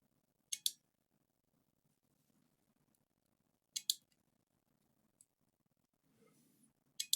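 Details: Noco GB70 GeniusBoost HD 12 V 2000 A jump starter after a no-power repair, on a bench supply: sharp double relay clicks repeat about every three seconds because the supply voltage is too high; it works normally once the voltage is lowered.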